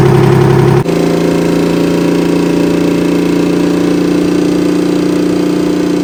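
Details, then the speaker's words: Kenworth/RFW 6x6 off-road garbage truck, two-stroke Detroit 6-53 diesel with Allison automatic, revived after sitting at least four years: steady, even fast-idle drone with no knocks or misses, engaging forward and reverse fine; running healthy. "Well, the brakes are releasing and it's going into forward and reverse gear quite okay. The motor's also running quite well."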